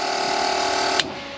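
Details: RB20DET engine in a Datsun 240Z, first start after wiring, ignition on: steady mid-pitched electric hum for about a second, then a click as it cuts off; fuel pump priming normally.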